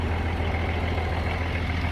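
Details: M35A2 deuce-and-a-half diesel idling after a new fuel pump pickup tube, 24-volt inline fuel pump and two replaced fuel lines (leak fixed): steady, even low rumble, no stumbles or hunting. Running cleanly.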